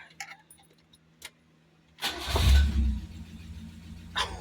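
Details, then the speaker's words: 1979 Fiat after new fuel pump, pressure regulator, pump relay and spark plugs: short crank, catches at once, revs briefly, settles to an even idle; healthy engine start, much improved. "Major improvement. That sounds so much better. The startup was so nice."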